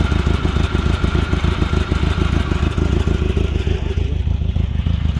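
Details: Glastron Carlson CVX-16 boat engine restarted on the first day of a rejuvenation project, after covering the last hole, to check it blows water out; steady low beat with even pulses, no knocks or rattles, clean healthy idle.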